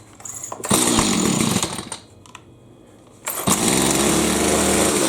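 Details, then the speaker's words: Stihl MS210C chainsaw that would not start, started in the shop after draining flooded gas: two-stroke catches and runs up with a high, even buzz, dips briefly, then picks back up strongly; starts and runs. "i'm going to go ahead and pull it and see if it starts i'm not going to run it because i'm in my shop just to let you know that it does in fact"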